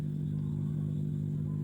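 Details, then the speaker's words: Maharaja 4 FET audio amplifier board, no input signal connected: steady low hum on the left channel only, heard with the speaker held close; fixed by running a wire from the main ground to the input signal ground. "ஆனா input signal எதுவுமே கொடுக்கல இருந்தாலும் அதாவது left channel மட்டும் அதாவது இந்த side வந்து ஒரு கம்மிங் சவுண்ட் இருக்கு உங்களுக்கு அந்த ஸ்பீக்கரை கிட்ட வச்சு காட்டுறேன்"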